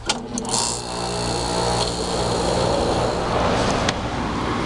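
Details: About 11,500 BTU window air conditioner, set to low or medium cool; steady compressor hum under even fan rush, no rattles, knocks or cycling: normal running.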